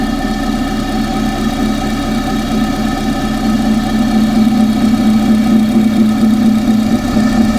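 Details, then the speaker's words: Engine checked with a pipe as stethoscope near alternator and tensioner: steady whirring tone over an even idle, no knock; whine seems to come from the water pump area, cause suspected, not confirmed. "But anyway, my noise seems to be coming from the water."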